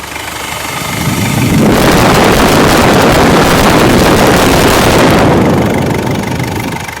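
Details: Ford Endeavour diesel with turbo and EGR problem, after the vacuum line is reconnected: engine note swells as the mic moves in, a steady even clatter with no misses or hiss; idling normally.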